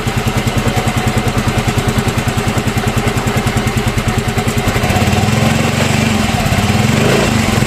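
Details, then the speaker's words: Yamaha Mio M3 scooter at idle after replacing the camshaft bearing and checking valve clearance, which fixed a rough noise in the engine: smooth, regular putter with no knocking or rattle; engine runs clean and healthy. "Nah jadi ee untuk suaranya sudah udah hilang ya nah ini untuk motornya udah sembuh ya untuk suaranya udah hilang"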